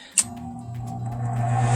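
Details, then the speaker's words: HVAC air handler blower motor starting after its capacitor was replaced; the fan previously sometimes failed to start and the condenser was freezing up. A click, then a low hum builds smoothly and it starts right away. "Wow. Alright, that sounded much better. You saw it kicked in right away."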